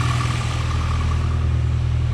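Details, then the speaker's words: 5th-gen Honda Prelude petrol engine idling with fuel pressure about 45 psi and no leaks, before fuel pump replacement: even, settled idle, faint steady whine over a smooth low hum, no stumble or hunting; running healthy. "Well, just idling and revving it, it does like it's supposed to."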